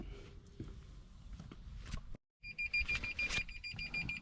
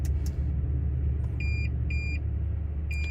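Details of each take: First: 2016 Toyota Tundra Platinum after replacing driver-side front park sensor (part 0C011-48930) that failed in cold weather: quick high-pitched beeps whose tone changes as the object moves; new sensor detecting properly. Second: 2016 Toyota Tundra Platinum at idle, below about 45-50°F: high-pitched beep in half-second pulses, front-left park sensor flashing on switch-on; fault only in cold since muddy, wet deer season, owner suspects mud or water in the sensor.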